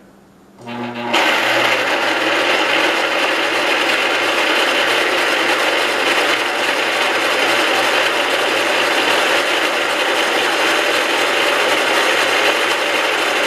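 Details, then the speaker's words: 1969 John Deere 112 Patio tractor cranked over on what is believed to be its original spark plug: the starter spins the engine at a steady, even rate of about four turns a second without firing. Normal cranking, and the starter is judged good. "definitely sounded better after being turned over some so that's good so we know the starter is good and everything here seems to be okay"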